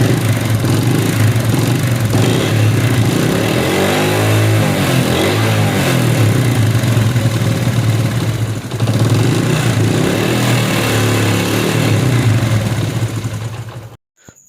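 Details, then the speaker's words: Idling motorcycle engine with a busy, rattly top-end clatter over the exhaust beat, caused by completely worn camshaft bushes; the fix is new bushes fitted by a lathe shop and a new cam. "इस cam की वजह से यह आवाज आ रहा है cam के Bush जो है वह बिल्कुल ही खत्म है"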